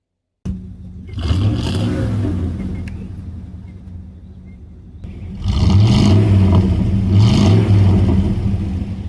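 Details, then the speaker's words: 1997 Chevy Suburban with a 350 V8 after an exhaust leak repair: two clean revs, each swelling into a deep, even exhaust note with no ticking as revs climb. The exhaust is sealed, with no leak tick. "So, there it was. The exhaust is now fixed on the Suburban. We don't have an exhaust leak."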